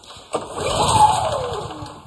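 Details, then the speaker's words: Honda generator whose oil sensor (yellow wire in crankcase) was checked; on a pull-start it briefly catches for about a second then dies as the oil alert goes red; oil just below dipstick level triggers low-oil shutdown. "almost started but it saved itself because the oil alert is going red you guys hear that it wants to start"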